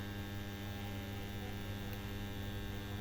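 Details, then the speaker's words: EI transformer with its core deliberately not tightened, connected directly to the mains: a loud, steady hum with a buzzy edge from strong vibration of the loose core. The coil tested fine at 240 V. "इसके vibration आप लोग सुना वो तगड़ा वाला vibration हो रहा है तो देख सकते हो वाइब्रेशन कर रहा है"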